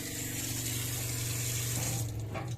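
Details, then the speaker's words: Newly replaced Shurflo water pump in a Clemenson camper cell on a Mitsubishi L200, running under pressure with the tap open. Steady low hum under strong, even water flow, no surging or rattle, no leaks seen. Normal pump operation. "vous voyez elle est allumée ça fait pas de bruit ça veut dire que a priori il y a pas de fuite"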